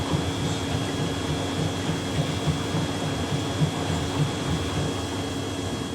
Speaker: That sound you're hearing is the um it's the the paddles doing that because they're so shallow.